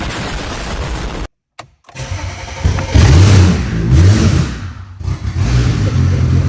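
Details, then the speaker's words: BMW 135i, flood-damaged, about 11,000 claimed miles, after 8 years in a junkyard: catches after brief crank while fuel pump is powered manually, blips and settles into loud even run, no knocking; injectors and pump were being inhibited, suspected security or coding. "it runs though oh my goodness"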